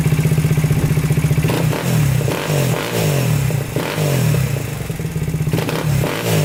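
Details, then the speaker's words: 2000 Honda 400EX single-cylinder quad that locked up in fifth gear on its first ride; it starts on a new, bigger battery. Lumpy thump with uneven throttle blips and a loose clatter that rises with revs before it shuts off under throttle. Owner suspects overheating and piston seizure; worn crankshaft bearings. "it's like electrical or spark plug but really it's just the crank locking up"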